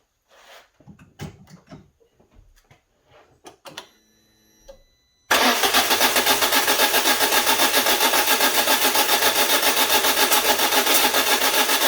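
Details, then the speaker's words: Citroen Berlingo Multispace Mk1 cranking: quick even cranking beat about four a second that never fires; owner hears a pressure-release-like noise, usually worse, and suspects something releasing pressure. "now it usually makes a worse noise than that it's like a a release of pressure somewhere or something something's going on"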